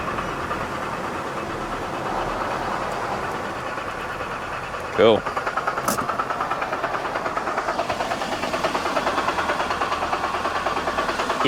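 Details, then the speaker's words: BMW E92 325i manual that began badly knocking during a 0-60 run, restarted to drive onto a trailer: rough idle with a steady, heavy deep knock, loudest down low; suspected rod knock, unconfirmed. "still really bad it's louder on the trailer yeah so it's down low"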